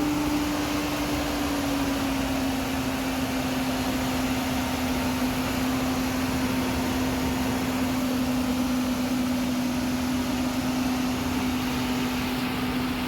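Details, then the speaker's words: Nissan Caravan running on petrol with the gas switch open, just started after throttle body and cam sensor work for stalling, no pickup and hard starting: smooth even hum, steady drone settling slightly, no misses, knocks or ticks; healthy idle. "তো আলহামদুলিল্লাহ গাড়ি start হয়ে গেছে start হচ্ছে মূলত এখন এটার গ্যাসের যে সুইচটা সেটা খোলা আছে গাড়ির তেলে চলতেছে স্টারে কোন সমস্যা নাই"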